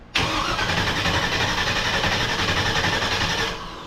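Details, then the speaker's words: V8-swapped mini truck on first start attempt after temporary exhaust fitted: steady starter cranking around four turns a second with no firing; no spark because the negative side of the ignition coil was not wired up. "let's see if we got spark here got no spark why we have no spark see if you forget to wire up the negative side of the coil you don't get any spark"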